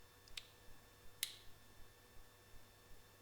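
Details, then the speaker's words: AEG MF 1400 KE router (bought 2017), reassembled after main bearing replacement: only a few sharp switch clicks, and the motor never spins up. The switch is not closing, probably dust in the contact, so a new switch was ordered. "nothing and sure enough this switch is not working there's probably some dust in there that keeps the contact from closing so i simply ordered a new one"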